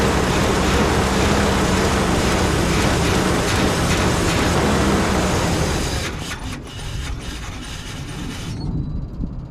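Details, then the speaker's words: Chevy Suburban, 2WD with a 350 V8, just after a carburetor swap. Loud, lumpy V8 with a steady pulsing beat around four per second that drops away as it settles; rough running from a massive intake vacuum leak through open holes. "Man, it ran better with the other carburetor on there. I found the problem. There's a massive intake leak."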